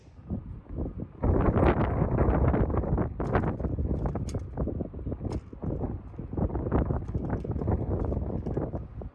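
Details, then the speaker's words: Kitchen range exhaust vent hood outside the house on a windy day: rapid, uneven metallic clacking as the thin backdraft flap slaps the hood. Fixed with thicker weather stripping. Backdraft flap banging in wind. "Now, I know we've all been there where you have those windy days where the wind's blowing and you hear that banging and clacking going around somewhere in your house."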